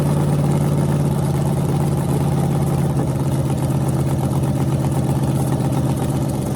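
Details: Freshly rebuilt small block Chevy 350 (355) on a run stand, restarted after refuelling, open headers, temps about 107 front, 76 back, plenum 69°: loud burble, steady even firing with slight rise and fall in revs, no knocks or ticks; healthy.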